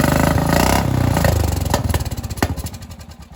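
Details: Aftermarket carburetor engine that only runs with the choke on: uneven, stumbling single-cylinder putter that loses rhythm and dies away. Owner suspects the carburetor needs cleaning.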